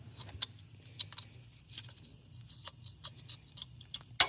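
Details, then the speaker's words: Zero-turn lawn mower electric PTO clutch on a second test after being bent to close the armature gap. Faint ticking, then one sharp, solid snap as the clutch pulls in. It now engages properly. "Much better. You hear that? Engage. There you go."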